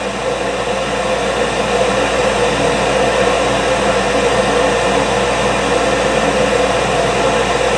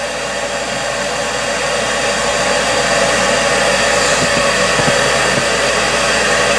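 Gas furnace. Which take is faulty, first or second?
first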